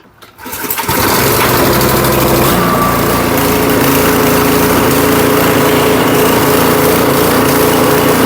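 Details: Powersmart 212cc 24-inch snowblower, after repair, fresh gas and oil checked, catches within a second and settles into a steady, even run with no misses or surging; normal running.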